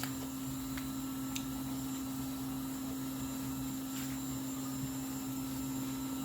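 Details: In-tank F90295 fuel pump in return fuel system with PPRV and venturi siphon, flow test at about 20 psi (17.1 A): steady mid-pitched electric whine, no surging or grinding; normal operation at low pressure.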